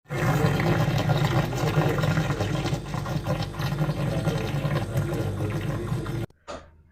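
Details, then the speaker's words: Refrigerator gives a loud, rough, low rumbling roar that stops abruptly after about six seconds, heard when the door is closed. It sounds like the compressor but comes from inside the cabinet body. "तो बहरहाल ये compressor की आवाज़ नहीं आ रही है, ये body के अंदर से कोई आवाज़ आ रही है।"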